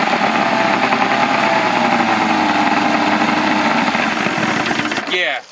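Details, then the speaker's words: Outboard with three two-barrel carbs on a 1984 Grady White Overnighter 20, carbs leaking while running: buzzes steadily about five seconds, then falters and dies; suspected vapor lock. "there was water it was running longer though was the choke in that there's something with time that is allowing a vapor lock"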